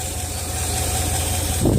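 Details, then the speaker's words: Land Rover 4.0 V8 fully warm, idling after turning an idle adjustment screw so it hisses and admits vacuum; previously stalled and wouldn't idle once warm. Steady, even low idle, no hunting or dying. "it's hard to hear I know but look how nice it dialing now before wouldn't even idle when it was warmed"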